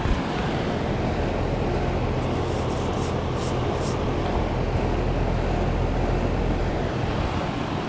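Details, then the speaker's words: 2013 Trane XB13 air conditioner condenser, about 13 years old, spring startup at 78°F, not yet cleaned: steady even low hum with smooth fan whoosh, no knocks or rattles; very quiet and nice sounding, fan a touch loud, normal running. "Um but it's very quiet and very nice sounding. It does well."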